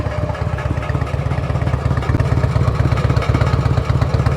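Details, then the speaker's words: Harley-Davidson Road King on a test ride after extensive repairs: lumpy V-twin idle with a loose, tinny clatter on each pulse. A loose exhaust baffle is suspected, to be checked once it cools; the exhaust shows discoloration. "That's a loose baffle. So, we're going to have to let her cool off and check that thing later. You can definitely hear it rattling in there."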